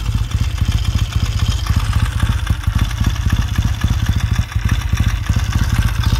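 Even, steady low thump of a twin idling cold, no rattles or misses; sounds healthy and settled.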